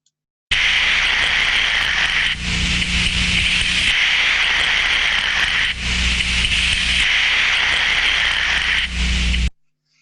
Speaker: from the sound file there we can hear the turbulence increasing and decreasing as the thermostatic trap opens and closes